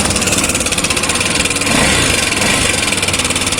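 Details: Honda CB300/XRE300/Twister engine; fast light metallic rattle steady over the idle, pointing to a slack cam chain with worn tensioner, cam chain noise.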